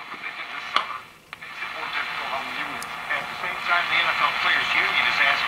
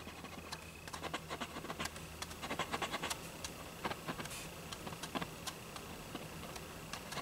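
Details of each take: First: GE tube radio believed to be an export Model X-216A (possibly same as X-153), brought up gradually on first resurrection: a station's voice comes through clearly over light hiss and crackle, so it receives and plays. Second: Old GE radio, export model believed X-216A (possibly X-153): irregular dry scratching as the speaker cone is pushed by hand; suspected rubbing voice coil, possibly just dirt, not confirmed.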